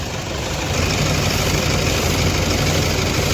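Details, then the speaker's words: Toyota Fortuner diesel that starts and runs fine cold in the morning but misfires and knocks once warm: loud, heavy idle with an uneven, lumpy beat and strong vibration; one cylinder misfiring. "इजन कैसा पूरा मिशिंग कर रहा है पूरा ऐसा कर रहा हैद कैमरे में ब क्लियर नहीं दिख रहा होगा"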